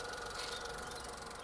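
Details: 2010 VW Polo 1.2 petrol three-cylinder just started after a timing chain, tensioner, guides and sprockets replacement for P0341: a steady, even idle with a light regular hum and no rattle; timing is correct, sounding healthy.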